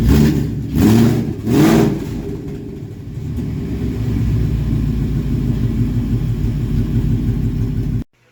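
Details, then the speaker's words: Ford Mach 1 with Coyote V8 (listed as 2004), first run after the engine sat over two years: three quick revs, then a steady, even burbling idle before shutoff; normal running with light revving. "it's exciting to hear it run for the first time and engine hadn't running over two years maybe longer than that"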